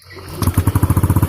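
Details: Yamaha Aerox injected scooter after fuel pump diagnosis for a no-start with no fuel pump response: catches quickly, then settles into an even low putter of about twelve beats a second with no misses; healthy idle.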